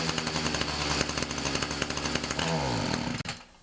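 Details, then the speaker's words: Ryobi 31cc two-stroke mini cultivator that dies when throttled up, before carb adjustment; buzzy note runs rough and uneven, then sags and cuts out; lean running. "Now I think the problem is that it's running a bit lean. You can kind of tell by the sound of it."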